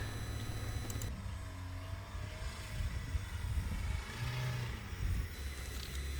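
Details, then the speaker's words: GWM P-Series automatic pickup climbing off-road in four-wheel-drive low after failing in two-wheel drive: engine revs surge and sag erratically from an uneven throttle foot, not a mechanical fault. "Okay, what you'll notice is if you listen to the engine revs here while my son's driving, you can hear it's a bit erratic."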